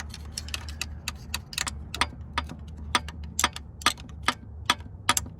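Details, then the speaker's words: 1998 Subaru Legacy Outback engine, stopped and partly stripped, rod rocked by hand: sharp metallic clacks about two a second from several rod bearings, worst on this one. Excessive rod bearing clearance; engine judged toast, one bearing unreachable without splitting block. "that one sounds even worse so pretty much the engine's toast I can get to these three rod bearings from here but I definitely can't get to this one"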